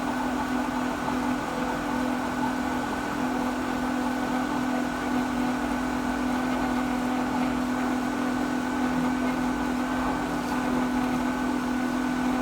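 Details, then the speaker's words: Pool pump motor just set to quick clean after service, priming: steady motor hum, constant low drone, faint water rush, no change yet; still priming before full flow. "So right now it's running. See, it's starting to pull water, but if you listen to it, you can really hear when it fully primes."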